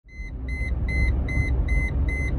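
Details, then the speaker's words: Mercedes ML320 driving above 5 mph: steady warning chime repeats over road rumble, with the brake light and BAS/ABS/ETS/ESP lights on. Codes C1025, C1301, C1303 and C1200 brake light switch point to an ABS/stability control fault. "right guys so you're driving your ml and your brake light is on and you may even have some lights over here and the beeping just doesn't want to stop"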